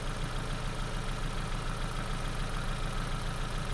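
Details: Ford Focus idling on customer-supplied spark plugs; steady idle with a regular low stumble about three times a second, one cylinder dropping out; scope shows nothing at all on cylinder number two, a dead-cylinder misfire.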